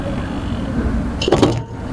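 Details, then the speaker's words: Refrigerator that runs but does not cool, microphone held near the compressor: a low compressor hum ends in one loud, heavy clunk as the compressor is switched off. "দেখছো কি জোরে একটা sound হয়েছে? এই সাউন্ডটা কোত্থেকে আসে সেটা বুঝতে হবে।"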